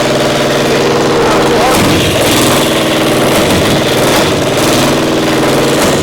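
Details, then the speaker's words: Caterpillar Diesel 70 two-cylinder pony starting motor: loud ragged running, mostly on one cylinder with the second hitting only occasionally, like a bad spark plug while carburetor acts good. "Running on one cylinder. We got one cylinder not Hitting working. on two once in a while. Acts like a spark plug or something was goofy."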